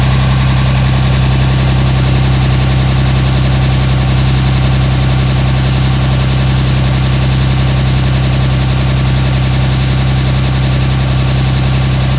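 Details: 2007 Dodge Ram 5.9 Cummins diesel, loud idle with deep drone and faint uneven lope near 160 a minute; rough for about a month. Intermittent fuel rail pressure sensor, MAP sensor and overboost codes (no boost fooler fitted); owner asks about blow-by; cause unclear.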